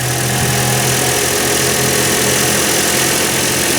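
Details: Toyota Corolla petrol engine just restarted after repairing rodent-chewed wiring, battery reconnected so the computer must relearn; slight front chain rattle noted. Idles steadily and evenly, with no missing beat or stumble.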